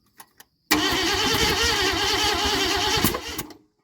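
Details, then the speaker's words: 1972 Ford F100 with an auction-bought 302, first start after carburetor fitted: ragged, uneven roar for about three seconds, then it falters and dies; firing sounds out of time, suspected 180° out. "fire sounds like it's a little out of [Music] time all right take two we think it was 180° out"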